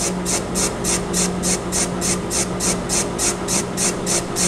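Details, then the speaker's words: Cast iron part for a shop-built hydraulic toe jack, hand-filed without lube: even dull whooshing rasp strokes about three a second, like a shovel into sand, with no high-pitched ring of chilled or high-strength iron; the iron is soft. "Kind of sounds like a shovel going into sand uh a little bit. That whoosh. Um so to me that means it's soft. It doesn't have any high pitch ring to it like a uh a chilled iron or a high strength uh uh cast iron."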